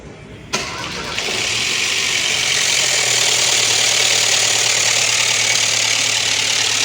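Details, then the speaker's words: Ford Ka 1.0 Zetec Rocam with the oil light on constantly: cranks, catches, then idles with a harsh metallic clatter, lifters drained and chain slapping; broken chain guides are suspected of blocking the oil pickup. Timing chain rattle from low oil pressure. "Chique, ó, os tuchos tudo descarregado, a corrente batendo."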